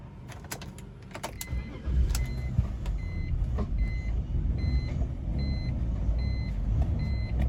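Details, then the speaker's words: 2000 BMW 328Ci (E46) that starts but runs rough and dies almost right away unless the gas pedal is held: deep, uneven low rumble with irregular stumbles and a faint repeating chirp; struggles to stay running. Cause unknown. "it starts but it runs rough but it dies almost right away you have to keep pressing the gas pedal"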